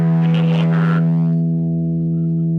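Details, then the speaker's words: Ampeg Reverb Rocket guitar amp after reflowing a cracked solder joint on the footswitch jack pad: distorted guitar chord rings out steadily and fades with no cutouts or crackle, relay clicking and channels switching properly. "Okay, [Music] we are successfully switching channels."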